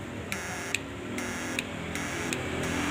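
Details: Repaired SNAPMAN 2022 Snap Inverter fish-shocking transformer on 12 V, 2 A supply: sharp clicks about four per second over a faint steady buzz that firms up; working normally after repair, louder with cover closed.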